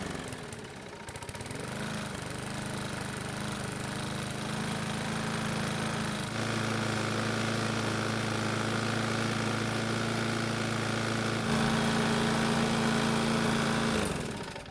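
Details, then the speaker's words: Bolens mower Briggs single-cylinder engine after carburetor diaphragm replacement, with a re-oiled foam air filter: a steady, even drone with no misses or surging, running much better than before though not like new. "And as you can tell, it's now running a whole lot better than it was before changing the diaphragm."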